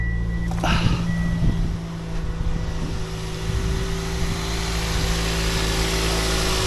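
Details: 2007 Toyota Yaris after fixing a belt squeak by re-tensioning the alternator: engine starts and settles to a steady idle with a smooth, even hum and no squeak or chirp; belt runs quietly.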